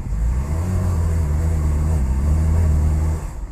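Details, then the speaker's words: 1985/1991 Cadillac DeVille 4.9L V8 with no power, rough idle and stalling, many parts already replaced; muffled drone that stays flat around very low rpm even at wide open throttle, then sags, running very lean: engine bogging from restricted exhaust. "we can't even rev it look at our throttle position and hear how it's idling right now look at our rpm watch like 40 50. it's not even going anywhere"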